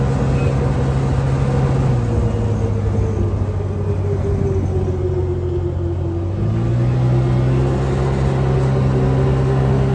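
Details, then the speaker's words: Can-Am Commander side-by-side under way, 10 months after driveline fix with new carrier bearing and heater hose: steady engine drone dipping and rising with throttle, no driveline rattle. "and here we are 10 months later and and still no Drive Line rattle"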